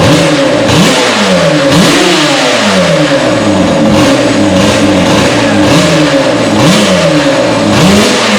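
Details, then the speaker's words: Yamaha Banshee two-stroke ATV after replacing a weak-spark ignition with Chinese eBay coil, CDI, stator and flywheel (owner suspects the stator had failed): crisp revs ringing up and dropping back in repeated blips, pulling cleanly without misfire; now runs properly. "So let's go ahead and try and fire it up quick."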